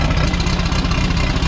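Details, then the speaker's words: Turbo VW Bug engine after falling on its face at launch during a drag race: low, uneven idle that lopes and stumbles; owner suspects misfire, possibly heads or pistons, not an intake leak; unconfirmed until teardown. "Sounds like a misfire to me. Could be heads. It's not an intake leak."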